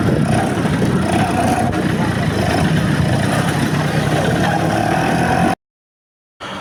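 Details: Vespa Excel two-stroke after engine rebuild and carburettor check, road-testing with new parts still breaking in, standard super gear; buzzy note pulling steadily under wind rush, no knocking or misfire; healthy.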